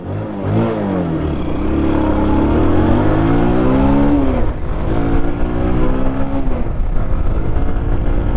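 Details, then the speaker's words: Bajaj Pulsar 150 BS6 at 51,326 km after clutch plate replacement with a cheaper duplicate plate from another bike; previously couldn't pull across the road: engine climbs smoothly and pulls cleanly, no slip; normal acceleration. "है तो आप इसकी power को feel कर रहे होंगे कि इसमें कितनी पावर आ चुकी है"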